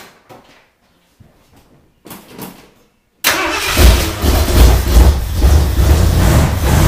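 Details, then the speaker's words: Engine restarted after priming the carburetor bowl; owner suspects it isn't getting fuel up, possibly a stuck needle: a few cranking bursts, then catches and runs with an uneven, surging low rumble. Fuel starvation. "by golly sounds like it might do all right I don't know that it's getting fuel up kind of acts like it's not"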